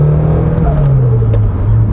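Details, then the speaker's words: Toyota Altezza with 3S-GE BEAMS Blacktop engine on first test drive after rebuild: steady low drone as throttle closes with faint fluttering chatter; boost pressure slamming the turbo when the throttle body shuts, called turbo flutter, judged not a good sound. "every time you let go of the throttle and the and the throttle body closes that pressure that's there literally just slams the turbo to stop it and that that's the that's called the turbo flutter"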